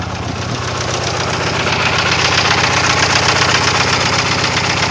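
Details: 1999 Eclipse GST Spyder idling: lumpy idle with a steady stumble about four times a second, then revs climb; one injector dead and EGR and TPS codes stored. Rough idle from dead fuel injector.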